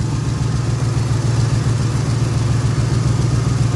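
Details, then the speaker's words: 1980 Chevy K10 V8 during restoration, idling: deep, even idle with steady low rumble, no knocks or ticks; sounds healthy. "this thing uh cranks up better than some fuel injected vehicles i think"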